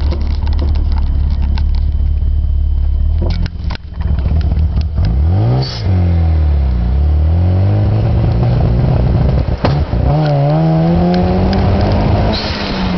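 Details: Mazda RX-7 FD3S rotary: revs rise and fall unevenly with a stuttering, popping note and clatter instead of a smooth buzz, misfiring.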